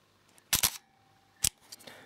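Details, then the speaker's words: Leica R6.2 35mm SLR firing at 1/125 s: two loud, sharp shutter bursts, mirror soft on the upswing but dropping back with a heavy clunk and slight vibration; normal, does not affect exposure. "And I found that the mirror is quite soft on the upswing, but when it comes back down, it makes a quite a a loud clunk as you can"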